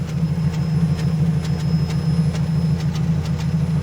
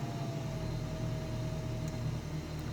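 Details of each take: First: Toyota Hilux 3RZ petrol engine idling warm after a short drive, lumpy uneven beat missing about twice a second; misfire, root cause not yet found. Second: Toyota Hilux 3RZ engine with intermittent misfire that appears once warm, cold start with light revs: low, even rumble lifting slightly with revs, no skips or stumbles, all cylinders firing. Normal cold idle.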